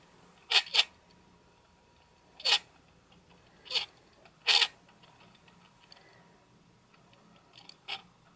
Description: In this test I have Image Stabilization (OSS) ON and you can definitely hear a grinding when the OSS engages.